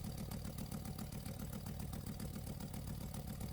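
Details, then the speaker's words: Camaro/Firebird with P1415/P1416 codes, secondary air injection test with hose disconnected from check valve: idling engine with rapid steady flutter, air rushing through, confirming failed check valve. "now let's perform the same test and see what happens and right away we can hear the airflow and you can also feel it"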